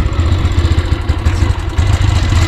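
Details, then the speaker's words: Petrol motorcycle converted experimentally to run on gas only, with the petrol tap closed, rider moving; low, uneven chugging that keeps faltering and choking as it runs on gas, engine stumbling and choking. "ஆனா வண்டி வந்து அடைச்சு அடைச்சு வருது மக்களே petrol வர ஓடல இங்க பாருங்க அடைச்சிருச்சு."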